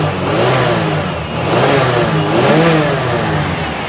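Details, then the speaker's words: 1988 Lincoln Town Car V8 at first start after sitting revs up and down with an uneven, stumbling beat and smoke, a misfire; owner suspects antifreeze or moisture in the cylinders from sitting, possibly stuck injectors. "that miss is causing problems but I have a feeling just letting it sit probably got some probably got some antifreeze down the cylinders or some moisture"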